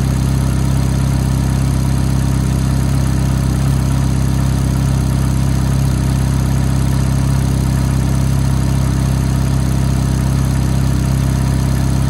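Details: F430 V8 at cold-start idle: a light, fast tick of roughly three to four a second rides on the steady, deep idle; cause unclear.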